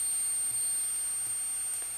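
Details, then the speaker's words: Peachtree Audio Grand Integrated X1 stereo amplifier with bulged capacitors, brought in for a buzz on one channel: at power-on a faint, steady, very high squeal on the right channel over hiss, left channel okay; cause suspected, not confirmed. "power on oh my god did you hear that the right channel is absolutely squealing"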